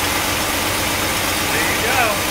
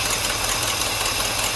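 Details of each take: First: 1964 Cadillac V8 after replacing worn points: steady even idle under a lot of hiss, no surging, misfire or stumble; running well, maybe an exhaust leak or two. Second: 1964 Cadillac V8, carbureted, after 17 years, warm idle after thermostat opened: quick even puffing tick over the rumble; exhaust leak chuffing at the manifold, leaky valve cover gasket also suspected.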